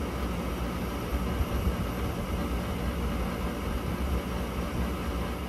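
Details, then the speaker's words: Rooftop gas package unit furnace on a no-heat call: inducer runs, pressure switch closes, gas valve opens, but no spark; steady inducer whir with no ignition snapping. Cause: faulty transformer on control board. "okay so we got no igniter uh so this is a spark ignition so we're gonna go ahead and just check it"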